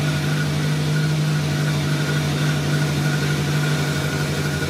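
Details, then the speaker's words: 1983 VW Rabbit GTI at first start after a replacement clutch and pressure plate install: smooth, even idle with a steady low hum and no knocks or misses; running cleanly. "it's it's running good"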